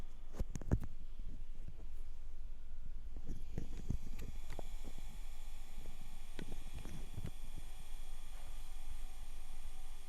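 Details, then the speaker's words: 1997 Dell Latitude CP laptop, sent in as not turning on, now booted: faint irregular ticks and soft crunching clicks over a low hum, the old hard drive seeking normally. "I can hear that hard drive just crunching away, though. Oh my gosh. I should clone this hard drive for him."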